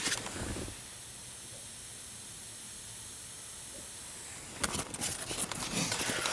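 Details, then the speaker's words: Steady, even hiss from a speaker with no music, recorded close to the speaker: noise floor of a Polk amplifier (75 dB signal-to-noise) in an Impala factory-stereo integration. "I'm not sure if you guys can hear that hissing, but this Polk amplifier, the only complaint I have about it is that it's got a 75 decibel per watt signal to noise ratio, which is pretty low."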